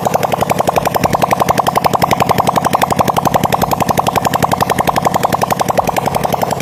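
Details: Honda Supra Fit single-cylinder after rebuild for white smoke and lubrication check, exhaust removed: loud, sharp, evenly spaced popping at a steady pace from the open port, no misses or knocks; runs healthy.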